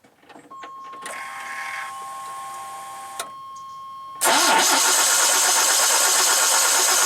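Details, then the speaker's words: OBS Chevy C1500 pickup that died at 70 mph on the freeway: starter spins the engine with an even whir but it never fires. No spark at the plug wires or coil wire; failed ignition coil suspected, or no power to the coil. "all right so at this point I've checked the spark plug wires for spark then get any spark now I just checked the coil wire to see if that would give this thing some spark and that didn't work either"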